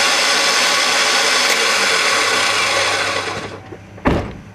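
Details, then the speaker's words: 2001 Chevy Cavalier 2.2L: the starter whirs for several seconds, then clicks, and the crank and drive belt don't turn. Suspected solenoid not pushing the pinion out to engage the flywheel; starter to be replaced. "I hear the starter motor spinning, but I think the solenoid is not pushing the pencil out. It's not engaging the flywheel."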